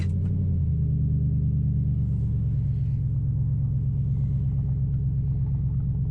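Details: 2005 Nissan Titan V8 after Walbro fuel pump rebuild and new starter, muffler removed: loud deep steady rumble with even firing pulses, no knocks or misses; seemingly running better than before.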